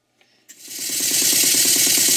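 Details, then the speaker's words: Mary model beam engine after slide valve and eccentric timing set and big-end cotter pin tapped tight: steam hiss rising into fast, even chuff about nine beats a second, no clanks; running well at speed, cutters stayed in. "The good news is none of the cutters fell out and everything's running rather well."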